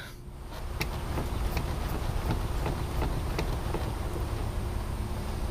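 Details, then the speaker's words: Polaris Sportsman 570 ATV suspension worked up and down after greasing and silicone-spraying the joints: only a low thud and faint soft clicks, the earlier squeak gone. "what a world of difference it makes to have some proper lubrication on your atv suspension"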